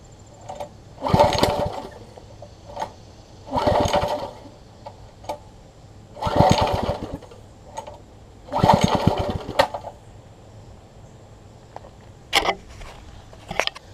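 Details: Troy-Bilt Tuffy rear tine tiller, reassembled from parts: four pulls each fire for about a second, then die without running. The carburetor diaphragm is installed wrong, starving the engine of fuel; fuel is reaching the carburetor but not holding, and the owner also suspects the fuel pickup.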